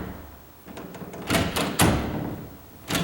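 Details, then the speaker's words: Door after bending the strike plate tab outward to lessen the latch gap: pushing the shut door gives a few solid knocks and short clacks with no rattle; latch now holds firmly in the strike. "i'm bending that out at an angle that lessens the gap between the latch see there look i'm pushing on that"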